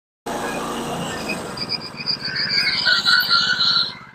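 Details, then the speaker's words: Woodland Mills HM126 bandsaw mill cutting western red cedar: a shrill, chirping squeak pulsing about four times a second from a failing bearing on the non-driven idler wheel the blade rides on; microphone clipped to the operator's shirt. "That is the sound of a bearing going out. In this case, it happens to be on the following wheel. That is a non-driven wheel that the band saw blade rides on."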